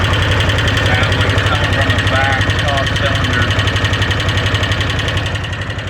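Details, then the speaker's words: 2013 Arctic Cat Wildcat 1000 H.O. idling with light regular tick about four a second over the rumble; louder near one side, owner doesn't think it's the clutch. "Hi guys, my 2013 Wildcat 1000 IOPUT Limited. Not as clutch, you can hear the tick. Not as loud over here."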